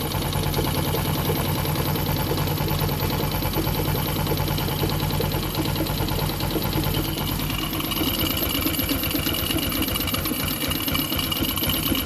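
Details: Newly bought Jupiter MX, grey oil suggesting radiator coolant in engine, water pump seal due for replacement: steady idle with light even knock on every beat; clutch housing knocking noted, cause not confirmed.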